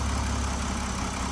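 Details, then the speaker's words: BMW X5 E70 after about two minutes of running to pump up the lifters, hood open: steady, even low idle with a smooth rumble and no more lifter ticking. "open the hood and there you go no more ticking so all we had to do is lbe the lifters up"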